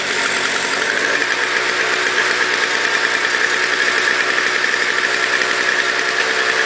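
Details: Toro CCR 2000 single-stage snow blower, 4.5 hp two-stroke, after cleaning; smoked from very old gas backed into the cylinder; warming up: even high buzz, steady quick rhythm, no misses or knocks; normal running.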